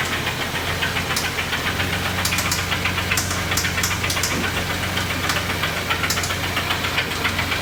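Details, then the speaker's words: 2017 Kia Sedona 3.3L V6 at idle: steady idle with a sharp metallic knock about four times a second riding over it; spun rod bearing, lower-end knock, engine to be replaced. "So we are going to be replacing the engine in this vehicle. As you can tell, it has some kind of a knock. It's the lower end."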